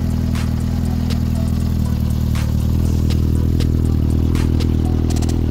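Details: Yamaha XJR400 motorcycle after the valve clearances were reset to spec. Low, even idle hum with only a few faint scattered ticks and no loud valve clatter; a settled, healthy idle.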